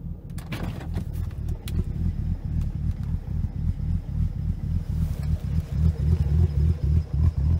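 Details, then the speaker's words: BMW Z4 35i (N54 engine) before repair, reduced power warning on: uneven lumpy idle with irregular low thumps about three to four a second, car visibly shaking and worsening the longer it sits; rough idle, Vanos actuators suspected. "anyway you get the gist it's unreduced power it's idling horribly and my sit in the car it's like shaking so next is trying to fix it"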